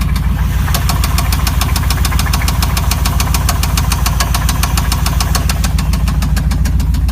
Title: 5.7L Rod Knock